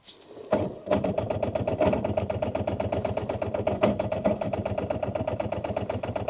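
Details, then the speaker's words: Rover 800 abandoned in brambles for 15 years, towed in gear; steady laboured chuff about four beats a second, never catching; owner suspects tired starter, engine not seized. Slow cranking. "So what we're going on is, it is spinning over. It's just, I don't think that starter is man enough. I don't think it's actually had it."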